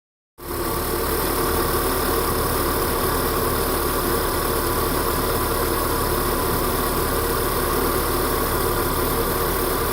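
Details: VW Golf 6 TSI warming up at idle: an uneven, loping beat under a steady drone with faint knocks, and the engine shakes with vibration felt through the car for about 30 seconds. Misfire is suspected but the cause is unconfirmed; rough idle.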